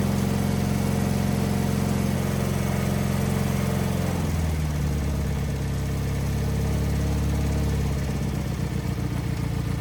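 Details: Wheel Horse 520H garden tractor pulled from a tree row, running on fresh gas from a can: small single-cylinder engine runs on its own with a steady putter, dipping and recovering speed twice, then settling into an even run; normal.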